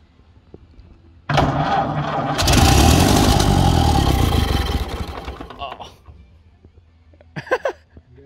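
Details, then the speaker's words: 1931 Ford Model A, 200.5 cu in flathead four, 4.5:1 compression, off the road 65 years. First start attempt with choke pulled and starting fluid: starter grinds, engine catches in a rough sputtering roar, then dies. Badly flooded; old updraft carburetor dumping fuel. "It's flooded, it's way flooded."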